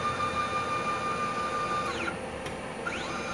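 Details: Microkinetics milling machine after tightening a loose bolt that had been making noise: quiet, steady motor tone with clean pitch sweeps as the axis starts and stops, no knocking or rattle; normal axis motion.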